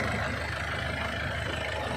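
Steady, even idle with a smooth low rumble and no knocks or misses; the engine is now running normally.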